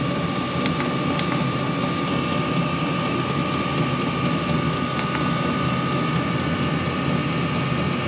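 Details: Diesel heater in a cargo trailer camper conversion, freshly installed and on first test run, ramping up: steady even fan whoosh with a faint high tone and light regular ticking (likely fuel pump). Runs smoothly without roughness; normal running.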